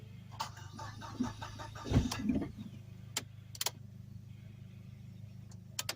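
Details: Dodge SRT4 parked since 2018, jump-started: long uneven starter cranking with a brief catch that dies away, won't keep running; fuel pump being primed, fuel delivery suspect; quiet background.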